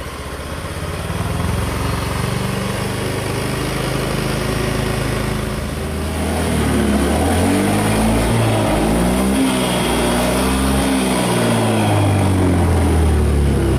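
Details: Honda Scoopy automatic scooter engine after full rebuild, kick-started, oil confirmed circulating: small single runs evenly, revs up and down smoothly, no knocks; healthy.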